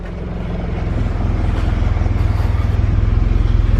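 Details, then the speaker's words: Honda CRX with budget K-swap and new fabricated 3in exhaust, first start: loud low idle pulsing unevenly with two to three stumbles a second; untuned engine hiccups below about 1500 rpm, check engine light on. "The only thing is the car is not tuned, so it has that little hiccup. But once you get past like 1500 RPMs, it actually sounds like it should."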